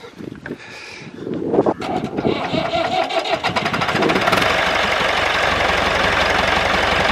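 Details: David Brown 996 diesel tractor, sitting about 10 years, restarted using a little throttle: rough cranking catches and settles into a steady, even clatter by four seconds; normal idle.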